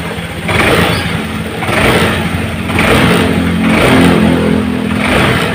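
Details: Honda Vario Techno scooter with torn carburetor vacuum diaphragm, sluggish on hills, fitted with cut vacuum-piston spring: each initial throttle twist gives a lag before revs climb, sound not matching throttle; hesitation compared against standard spring.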